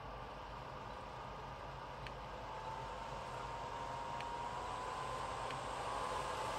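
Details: Dyson Pure Cool Me BP01 fan/purifier running: a thin whistle over the fan rush that gets louder at higher speeds, caused by a dirty seal between filter and case; fixed by cleaning and reseating the gasket.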